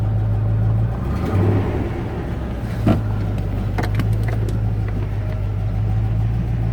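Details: 1994 Range Rover V8 after heater install and vacuum pipework work on engine running issues: deep rumble climbs and settles cleanly as throttle opens, no hesitation or hang; throttle now revs freely, vastly improved.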